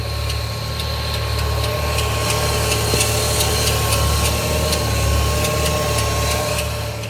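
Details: Opel Z20NET engine at steady idle: sharp, uneven ticking about three times a second, produced by a worn secondary timing chain tensioner letting the chain slap; fix is replacing the chains, guides and tensioners.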